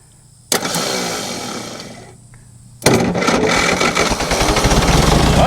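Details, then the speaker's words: Diesel forklift bought headed to scrap: cranks with weak starter and possibly low battery, catches after a pause and settles into a steady, even diesel clatter with no misses; runs well, possible exhaust leak. "ồ, nó chạy thực sự chạy khá tốt có rò rỉ khí thải ở đâu đó không có giá trị gì"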